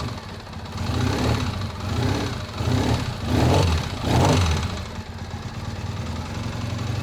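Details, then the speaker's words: 2001 Triumph Bonneville T100 petrol twin, first start on choke after long lay-up outdoors: lumpy uneven running with heavy low thuds surging about once a second, running on one cylinder with an awful knock; cause unknown. "nope it's running on one cylinder knocking terribly though awful knock"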